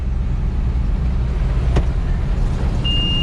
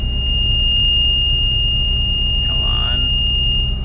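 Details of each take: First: Corn combine elevator restarted after being stuck, tight chain having caused trouble: steady, even low rumble with no rhythmic clicking or knocking; elevator chain running smoothly. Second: Combine harvesting delayed corn, machine being shut off; over a steady drone, slip clutch ratchet knuckles click at about three per second; a wedged cob is suspected of jamming the return elevator, not confirmed.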